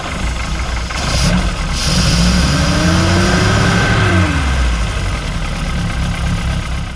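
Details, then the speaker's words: MG Midget with twin carburetors, choke pulled a little, after fixing the ignition switch: lumpy, uneven low beat that hardly revs up, stumbling; sounds like it's not running on all cylinders, cause unconfirmed; rough running. "pull the choke a little bit so it does start it hardly revs up you can hear it definitely sounds like it's not running on all the cylinders"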